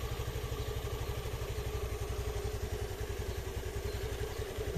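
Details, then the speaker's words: Motorcycle that only clicked and would not electric-start, after the starter coil fault was repaired and battery terminals tightened: fires on the button and settles into a steady single-cylinder putter with no clicking or grinding; normal electric start. "jadi seperti ini sudah bisa lagi untuk di starter ya Jadi sekarang gak perlu ngengkol-engkol"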